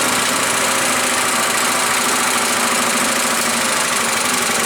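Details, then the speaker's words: Earthquake Viper chipper shredder with 212 Predator-type single-cylinder engine, bought as "runs": steady even rumble with shredder whir, no misses or knocks; runs normally. "well it sounds like it runs pretty good I would say we go out in the yard and throw some limbs in it and see if it's going to chop anything up"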